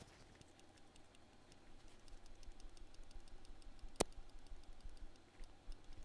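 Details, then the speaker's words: Soldering iron tip from a MacBook Pro logic board repair, shaken next to the microphone: faint, irregular light clicking, about two a second, from a loose piece inside; the tip's heating element has cracked, unlike a good tip, which is silent. "oh yep the heating element cracked if you listen to this i shake this next to the microphone you can't hear anything you shake this one"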